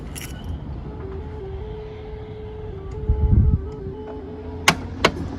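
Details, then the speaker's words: 1996 Oldsmobile Silhouette power sliding door closing: steady tone stepping between two close notes for about three seconds, then two sharp clunks; normal engineered warning chime, not squeaking or a fault. "Now, it's not making that noise because it's squeaking or old or broken. They engineered that noise in so that children would be aware when the door was closing and they wouldn't get their fingers caught."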